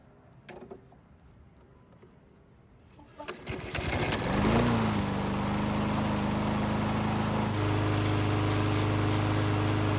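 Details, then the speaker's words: Barn-stored, neglected lawnmower running on non-ethanol 89 octane fuel with stabilizer: a few pulls, then it catches and settles into a steady, even run with no misses or surging; healthy after repair. "So it's been running for several minutes and the engine should be good and hot."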